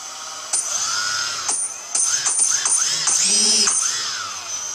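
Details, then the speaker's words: Multiwii 3D multirotor with reversible ESCs: the motor whine rises and falls with sharp clicks each time the motors switch between forward and reverse; normal direction-change clicking. "so now I've got as you can see there forward and you can hear it Go reverse in Reverse so hopefully you can see that that noise is the clicking over the two different speeds"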